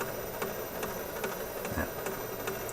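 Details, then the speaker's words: 1969 Nationwide Manufacturing turntable from a Philco console: steady thump about 2.4 times a second over a soft hiss and hum, like a train over track joints, from a flat-spotted idler wheel. "i'm pretty sure that's the idler wheel we hear it sounds like a train going over the uh brakes in the train track get the pace of it you can just imagine that idler wheel going around about that pace"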